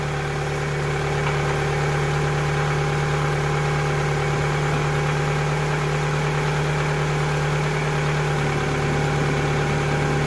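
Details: 2000 Toyota Camry after alternator replacement and wiring harness repair: smooth even idle, steady low hum, no knocks, ticks or squeal; charging reads 14.7 V, alternator working.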